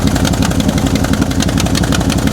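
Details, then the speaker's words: Square-body Chevy C-10 salvage-yard V8 truck: lumpy, stumbling idle with one cylinder dropping in and out, near the exhaust leak; won't rev, no power to pull forward, owner suspects fuel starvation and plans new spark plugs; engine misfire. "Oh, it's Yeah, there's definitely a cylinder. It's wanting to come back around. It's coming in. Coming out."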